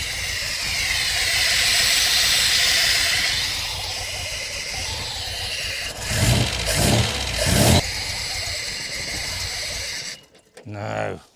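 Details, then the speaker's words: Supercharged MGB with Weber DCOE carb and 123 Tune+ distributor, failing to tune, backfiring: uneven idle with blips and strong airy hiss over the engine; sounds like a vacuum leak, unconfirmed. "Sounds like a vacuum leak."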